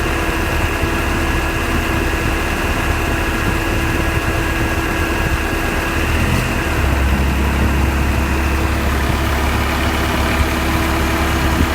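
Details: 1991 Honda Civic idling after the AC compressor was replaced with a new Matsushita unit: AC compressor runs quietly with no ticking; the loud rapid ticking is fixed.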